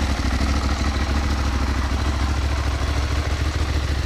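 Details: Ducati 1198S V-twin after AELLA anti-rotation clutch slave cylinder and push rod fitted to cure an oil leak: steady, even low thumping idle with slight lumpy twin beat, no knocks or rattles; normal idle.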